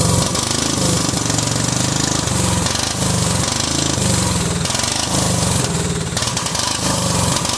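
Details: Cub Cadet 2130 lawn tractor, just started: loud, lumpy engine stumbling and surging unevenly; fuel system full of water and rust, owner suspects water in the carb bowl causing the rough running.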